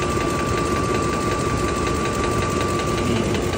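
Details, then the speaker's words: 2004 Ford F-150 5.4 3-valve Triton, new remanufactured engine with replaced cam phaser, after running a minute, heard from the bottom side: fast, steady ticking over idle; it quieted somewhat half an hour later. Cause unconfirmed. "Not too thrilled about this thing. Yeah, bird down here on the bottom side. It's not sounding much better."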